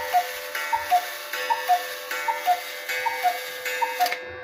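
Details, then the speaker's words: Restored Hubert Herr Black Forest cuckoo clock, movement adjusted and oiled, temporary pendulum: even ticking about 78 beats a minute over a faint steady ringing hum; the striking train still makes a noise while running. "Yeah, I still can't get rid of that noise made by the striking train while running."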